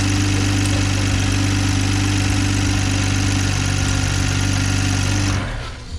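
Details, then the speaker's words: 2020 Toyota Supra idling after cat-less downpipe install, O2 sensors unplugged, checking for exhaust leaks: steady idle with light ticking about four per second over exhaust drone, ordinary direct-injection injector tick, nothing leaking. "i'm listening for exhaust leaks can you guys hear any exhaust leaks all i hear is the tick bro"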